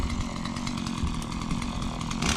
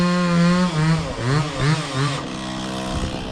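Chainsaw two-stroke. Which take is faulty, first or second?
second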